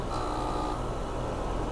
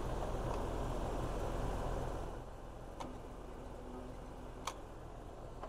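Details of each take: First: 2019 Lennox AC unit that tripped the breaker with a locked compressor, started via an added compressor saver kit: compressor hums steadily, faint high tone fading in the first second, drawing 11 amps; internal compressor fault still possible. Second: 2019 Lennox air conditioner that trips its breaker; locked compressor draws about 120 amps then 80-90, loud electrical hum from the condenser for about two seconds then clicks off without starting, before a compressor saver hard-start kit is tried.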